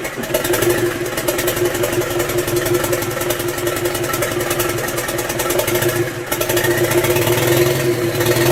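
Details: Land Rover 300Tdi diesel in a Ferguson TE20 tractor, 24-volt starter with 12-volt fuel solenoid supply, runs steadily with an even knocking beat and holds its speed, no misfire or stumble; normal running.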